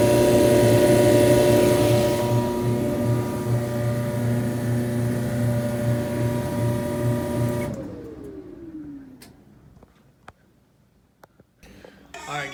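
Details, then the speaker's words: Electrolux EIMED60LT3 front-load dryer after repair of scraping noise (rollers, tensioner pulley, blower wheel serviced); steady even hum and smooth drum rumble, no scraping, then winds down and stops; normal running. "as you can see, got this puppy working properly. No noises, it's heating, all that type of stuff."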